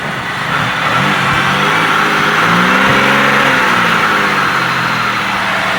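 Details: 2005 Pontiac Bonneville 3.8 after a head swap to 2006 Grand Prix heads with all new gaskets, previously overheating with no heat: the engine revs up and settles with an even, steady exhaust note, no knocks or misses. It runs strong; slight transmission cooler line leak noted.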